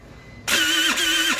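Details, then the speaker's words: TaoTao 50cc Chinese scooter bought not running: about a second of harsh, high-pitched whirring grind on electric start instead of a clean crank; owner suspects the motor binding from a non-functional kickstarter mechanism, not confirmed. "And can you hear that? It sounds pretty nasty. Let's try to see what's going on down here."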